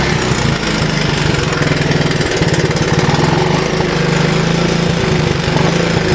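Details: Honda ATC185 with new right-angle air filter, on a test ride: single-cylinder picks up cleanly on light throttle blips and drops back without stumbling; healthy throttle response, auto clutch works.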